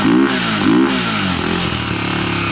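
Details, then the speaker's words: Single-cylinder quad after timing advanced one tooth: revs blip up and fall back twice, then fast uneven patter at steady revs; stumble still heard when revving, owner suspects ignition issue, possibly stator; misfire when revving, cause unconfirmed. "you can still hear it when you're reeving it up"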